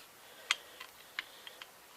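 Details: Yanmar SC2450 drive shaft U-joint being rocked by hand: sharp, sparse clicks, about five in two seconds, from its free play. The joint is bad one way and needle bearings are suspected to be worn.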